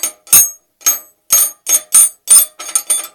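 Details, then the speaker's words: Opel Vectra front-wheel drive, front driver-side suspension over bigger bumps: sharp high metallic rings, about nine in three seconds; broken coil spring piece lying loose in its seat, silent on small bumps. "только начинаются такие более менее хорошие кочки она издает звук вот такой слышите"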